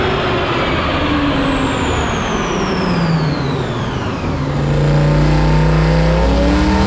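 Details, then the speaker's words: Truck with new flex plate, on the dyno: heavy engine roar under load with a high tone sweeping down, then a sudden change in note as the transmission fails and comes apart; driveshaft out, pieces ejected. "Well, there she went. Another quick ejection of a transmission. This one stayed on the vehicle though."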